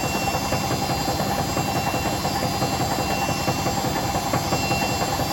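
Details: Hotpoint BHWMXL145 washing machine on a test spin. Heavy rhythmic thumping about once a second under the spin hum, with rattles, as the drum flops. Two drum spider arms are snapped and the drum is cracked at the back. It was first reported as bearings.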